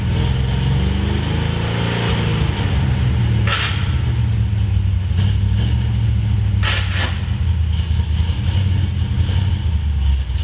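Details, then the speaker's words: 1973 Plymouth Road Runner big block after fixing the intake leak, header leak and header bolts: a deep, even V8 rumble at idle and blips with no ticking or puffing. Normal exhaust. "then you guys can just feel the exhaust real quick because it sounds nice now"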